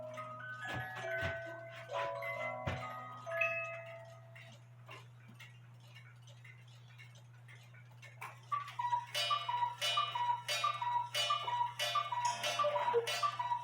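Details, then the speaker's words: Cuckoo clock after replacing 450 g weights with the specified 320 g weights, refitting the high note wire and bending the gong down: the music box tune plays, then evenly paced paired cuckoo calls with clean gong strikes; normal. "That sounded good to me. And you will see that the gong is just barely, the hammer is just barely off the gong."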